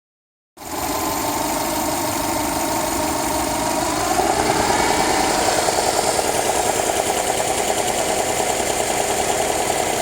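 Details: Subaru Forester petrol engine knocking steadily at idle, about three knocks a second, audible at 700–1200 rpm and rising slightly with revs; owner unsure whether valves, a bearing shell or piston slap. Cause suspected, not confirmed.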